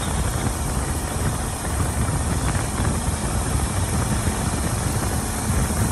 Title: Please help diagnose strange pulsating rattle noise!